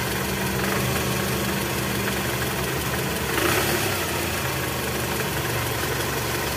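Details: 2004 Toyota Camry, 2AZ-FE 2.4 L, 98,000 km, cold idle with AC on, rattle low in engine, louder in R/D, fades when warm: faint metallic krok-krok rattle; balancer shaft found worn and loose on removal.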